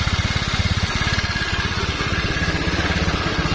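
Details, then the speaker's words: Honda Vario scooter whose starter only clicked despite a new battery now starts after a relay wire is reconnected; the small single settles into a steady, even idle with soft regular pulses and no misses or rattles. "ini udah nyala motornya sekarang sudah bisa hidup nih"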